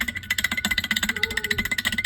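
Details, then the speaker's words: Samsung dishwasher with loud grinding and gurgling: removed original circulation pump motor rocked by hand gives quick light metallic clanking, drive shaft super loose from worn-out bearings; pump replaced. "but that's that's the drive shaft is super loose. The bearings are gone."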